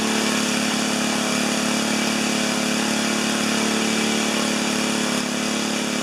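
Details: 4HP horizontal Briggs single-cylinder, first start: revving hard and steady at high speed with no throttle response; overspeed because governor not linked to the throttle arm.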